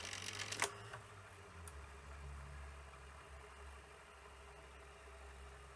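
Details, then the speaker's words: 1984 Sanyo VTC-M40 Beta Hi-Fi Betamax, cassette loading: burst of scrappy clicks and clatter as carriage loads, then faint motor hum and squeaking; mechanism rough but working, belts suspected worn and due replacement. "Well, it's certainly a bit rough, but it's working fine. I think you could do with the belts being done."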